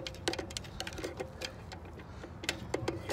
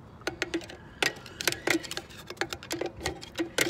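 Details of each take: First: Dexter 5200 lb trailer axle, electric brakes: sharp, uneven clicks about three per second as the brake adjuster star wheel is turned while setting the shoes; normal ratcheting, adjusting so brakes aren't too loose. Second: Dexter 5200 lb trailer axle during brake and bearing replacement. The drum is spun by hand while a screwdriver walks the star wheel, giving uneven light ticks until the shoes just touch. This is drum brake adjuster star wheel clicking.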